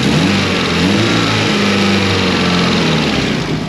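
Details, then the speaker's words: Built Evo 8, 2.2 L 9:1 short block, FP Zero turbo, still on stock ECU with no narrowband O2, revving: raspy puffing chuff following engine speed. Big exhaust leak at the V-band flange between turbo outlet and downpipe; needs fixing. "There's a big exhaust leak. It's on the V-band flange, so it's the V-band that goes around the turbo outlet onto the downpipe. There's a big leak there, so I gotta fix it. That's why it sounds like this."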